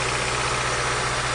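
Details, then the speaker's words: Petrol engine idling rough, shaking badly with steady low drone; cylinder power-drop test shows no change on cylinder two, dead cylinder two misfire. "all right now you can hear the misfire uh you can see it's shaking really bad"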